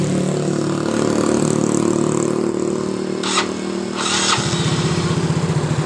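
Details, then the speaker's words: Yamaha Mio J that suddenly died while riding, after valve adjustment (intake/exhaust valve leakage), compression normal, started on electric starter: smooth catch into steady even idle with no misses or rattles; engine now runs normally. "ini motor hidup dengan normal"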